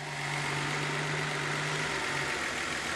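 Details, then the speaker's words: Nissan 280ZX: steady idle around 800–1000 rpm, humming note cuts out after about two seconds as the engine sags lower; owner suspects a bad battery, possibly the alternator. "the battery cable wants to idle down what's it idling at right now it's BC between 8 and about 1 800 1000 uh give it some gas yeah so that leads me to believe that this batter is bad"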